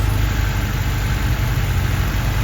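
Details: Honda Civic EG started right after a DIY fuel filter replacement: steady low, even idle rumble with no misses or knocks; the engine sounds healthy and settled.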